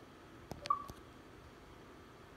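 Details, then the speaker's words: Xbox One ICON Media Center external HDD hub with a 2 TB drive: a few quick soft chirps, the normal drive-ready chime. A 4 TB drive made this sound at random times because the drive kept rebooting. "now what it just did there making that noise and showing you the drive is ready to use is what the four terabyte would do four terabyte drive would do at random times"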